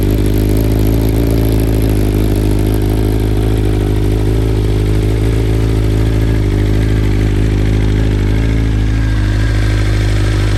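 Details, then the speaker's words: 2021 BMW M1000RR with a Stage 1 ECU flash aimed at fixing idle and stall issues, first cold start of the day: settles into a loud, steady, even idle with no hunting or stalling; normal idle. "and you can hear that sounds nice and even sounds like a good idle right there no stalling no issues"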